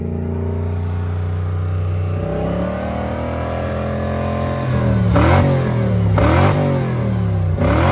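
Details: Toyota 1UZ V8 sitting a few years, first runs after revival: rough loping beat through throttle blips, two cylinders not firing; owner suspects stale-fuel blocked injectors, running 10:1 fuel/auto trans oil mix to flush them.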